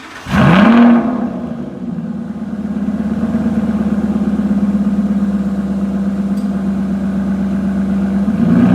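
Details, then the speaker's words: 2015 Aston Martin Rapide pre-purchase inspection, initial cold start (only about the third start, briefly run before), idled then revved to about 1,500 and 2,000 rpm: quick crank, sharp flare, then steady even idle; healthy. "So on the initial startup, I had it idling. I still need to check the video to see if it smoked or not. And then the revs that I took it up to was about 1,500 and then 2,000."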